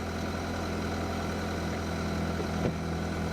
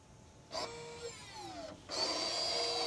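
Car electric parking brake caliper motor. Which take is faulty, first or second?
first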